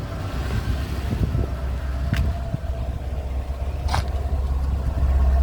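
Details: Mercedes W126 V8 on an LPG conversion after backfires and misfire were fixed with more LPG: low, smooth, unbroken idle with no popping or backfire; idles cleanly, no misfire.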